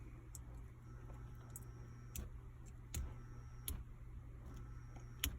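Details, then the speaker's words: Watts Premier Zerowaste Zero Pure Plus reverse osmosis unit's solenoid valve, reinstalled and powered by its transformer, gives a steady electrical hum and buzz but no click; owner suspects a milling defect makes it stick. "So we're not hearing it click, but we are hearing an electrical hum and buzz."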